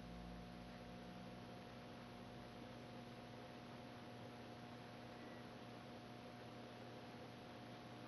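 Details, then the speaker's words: 2009 Canarm Twister ceiling fan mounted on rafters, running: only a faint, steady low hum under soft air noise, no ticking or rubbing; hum not transferring through the lumber, almost silent; normal motor hum. "It's not transferring the hum through the lumber or whatever. It's like almost silent."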